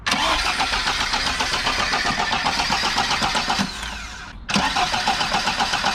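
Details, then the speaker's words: Lada VAZ 2103 petrol engine starting and idling with loud metallic rattle from engine bay after a 120 km/h run; owner suspects broken chain tensioner and slack timing chain, rpm-dependent, better above 2,500 rpm. "then we started to slow down a bit and we hear the really weird noise that isn't supposed to come from the engine bay lovely rattle"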